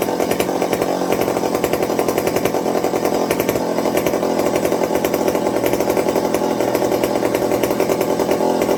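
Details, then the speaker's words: McCulloch 55 gear-drive chainsaw after a homemade Scotch-Brite pad tank wick and a 090 carburetor swap to cure fuel starvation: high, steady two-stroke buzz holding revs without surging or sputtering; running cleanly, normal. "so i'm going to call that a win so like i said i said i wouldn't do the 0.90 swap but as we can see she's driving great with it"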